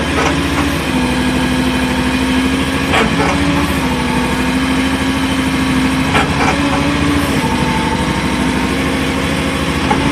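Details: Grinding in the swing of a new AGT MY50R mini excavator with 11 hours: steady diesel idle broken by short harsh grinding bursts each time the upper swings and stops, in either direction.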